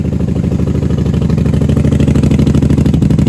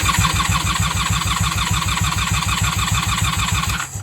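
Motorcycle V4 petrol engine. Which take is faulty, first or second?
second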